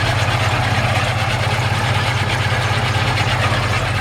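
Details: 1952 Ford F1 shortbed truck with a rebuilt engine gives a steady, even idle of about four pulses a second with no misses or knocks, a healthy engine.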